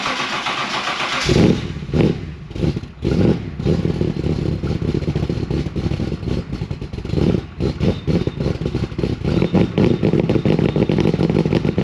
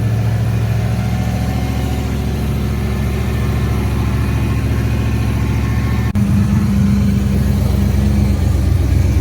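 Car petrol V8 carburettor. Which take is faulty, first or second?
first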